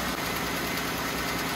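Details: Jeep Wrangler 3.6 L engine at idle: faint light ticking in time with the engine, worsening over the past month, from one side; owner suspects lifters and rocker arms, replacement parts bought.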